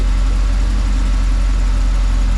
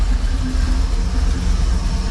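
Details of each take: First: 1988 Chevy Camaro IROC Tuned Port Injection V8, warmed up about 6–8 minutes: deep, even idle with no hunting, misfire or knock; much smoother, timing holding rock solid at about 16 degrees, oil pressure normal. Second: 1988 Chevy Camaro IROC with Tuned Port Injection that stalls on throttle input, idling with the timing connector plugged in: low, heavy idle pulsing and surging unevenly, rough and slow; timing jumps from 6 to 12 degrees, cause suspected not confirmed.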